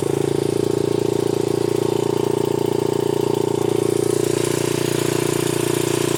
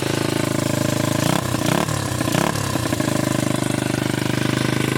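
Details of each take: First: 1981 Honda XR80 four-stroke single after freeing a stuck float, started first kick without choke: steady, even thump at a slightly fast idle, no misses, stumbles or smoke; idling normally. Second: 1981 Honda XR80 four-stroke single after freeing a stuck float: first kick, no choke, evenly thumping brisk idle, steady with no stumbling, no smoke; idle set slightly high.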